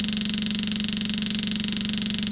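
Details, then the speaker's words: 1968 Ford Mustang parked about 20 years, new fuel pump still not delivering fuel to carburetor: steady buzzing pump drone with fast even pulsing and hissy top end as sound changes; pump running dry, not picking up fuel. "oh sound is changing that's not good she should be pumping F by now I don't know what the deal is here"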